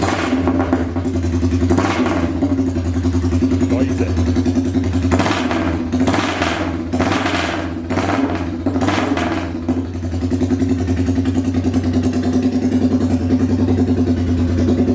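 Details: Royal Enfield Bullet 350cc single with freshly made custom exhaust, open megaphone vs baffled silencer, started indoors: loud even thump at idle and clean throttle blips climbing and falling freely; healthy engine.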